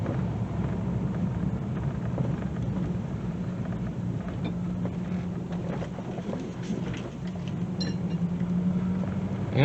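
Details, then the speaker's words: 2000 Dodge Durango, about 162,739 miles, night test drive: steady low road rumble at slow speed with no clunks over speed bumps. The rack-and-pinion steering still needs replacing. "oh yeah that sounds much nicer i think we got it"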